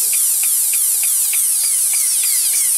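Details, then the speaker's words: Dremel 4000 rotary tool used for jewelry work, speed controller board replaced about eight months earlier, failed after 2–2.5 hours of use. A high whine keeps spooling up and dropping off about three times a second, cutting in and out. Owner suspects a brush isn't getting power. "adjustment it tries and then can't cope i'm not sure what it's trying to do that's clearly no good"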